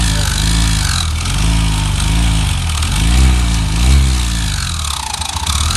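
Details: Yamaha XTZ 125 / YBR Factor 125 single-cylinder, revved on a rig driven directly at the crankshaft: loud, heavy mechanical drone. Head and cam bearing checks found nothing; balancer shaft and its bearings are to be removed next; cause unconfirmed.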